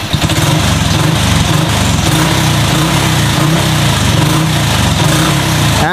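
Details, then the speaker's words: Honda Revo FI fuel-injected motorcycle, injector replaced, after throttle position adjustment to cure stumbling: small single picks up and settles with throttle blips without stumbling or popping, still holds idle; normal throttle response. "nah ini udah sesuai jadi tarikan mesin dengan gas itu sesuai"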